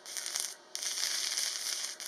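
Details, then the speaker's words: Parkside PMSG 200A2 welder in MMA stick mode, supplied 2 mm Parkside electrodes on 3 mm sheet at 70 A: crackling arc keeps cutting out and restarting; unstable arc due to poor electrodes, other electrodes worked much better. "तो वेल्डिंग के दौरान आप देख सकते हैं कि यह थोड़ी परेशानी है जो मुझे बिल्कुल पसंद नहीं आया, मुझे आर्क को बनाए रखने के लिए मूवमेंट माइक्रोफोन का उपयोग करना पड़ा और वास्तव में यह इलेक्ट्रोड से आया, मैंने डी अन्य के साथ परीक्षण किया और यह था ज्यादा बेहतर।"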